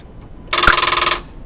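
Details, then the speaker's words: 2000 Dodge Durango 5.9 L V8, no-crank starting problem: turning the key gives only a quick rapid chatter of solenoid clicks for under a second, starter never engages; suspected dead or nearly dead battery, possibly a bad battery connection. "okay so as you probably heard um we heard the clicking of the uh solenoid so the starter didn't even uh was able to engage"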